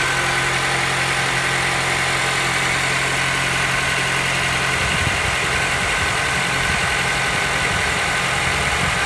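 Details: Honda Accord 7 2.0 petrol at idle: steady idle with a busy, clattery top end and no single crisp knock standing out; internal engine knock, cause not pinned down.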